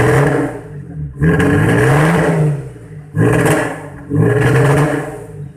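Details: Audi TT engine misfiring: uneven, stumbling revs surging up and down; VCDS shows fuel pressure around 2.5 bar against the 3.5 bar minimum the injectors need, possibly from a worn fuel pump; lean misfire.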